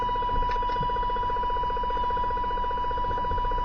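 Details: CB receiver on channel 29 (27.295 MHz), splattering onto 28 and 30: a steady whistle over a fast, even pulsing buzz. Strong RF interference comes from a neighbor's garage, source unknown, possibly grow lights.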